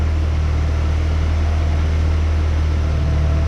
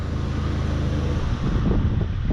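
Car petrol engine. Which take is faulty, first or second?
first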